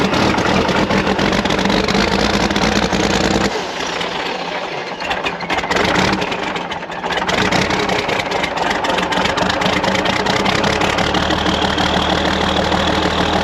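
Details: TD15C dozer diesel in freezing weather after seemingly running out of fuel on a hill, refuelled and fuel pump primed, new starter: catches after a rough dip then settles into steady even clatter; healthy once fuel reaches pump.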